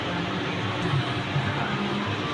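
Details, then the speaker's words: 2006 VW Passat after replacing a PCV valve with a holed seal, which had caused misfires on all cylinders: smooth steady idle with no stumbles. It runs normally now. "and it runs mint now sweet easy fix"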